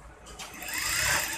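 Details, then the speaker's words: Auto-oil industrial sewing machine, after refitting the feed dog (plain side in, notched side out) that caused the noise: light, even high whir with no knocking or clatter; runs smoothly and quietly. "ये जो आवाज़ था ये दाती की वजह से था। बहुत बार शटल में भी आवाज़ आता है, आप देख सकते हो बिल्कुल आवाज़ बंद"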